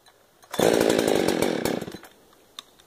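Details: 372 chainsaw that keeps dying after choking: fires and runs about a second and a half with an uneven stumbling beat, then dies; a carburetion issue is suspected, possibly crud in a rebuilt carb.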